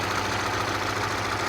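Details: 1997 Acura Integra B18B1 with automatic transmission and a blown head gasket, leaking antifreeze mist and smell: a warm idle with a faint, fast, irregular knock, called rod knock by the owner.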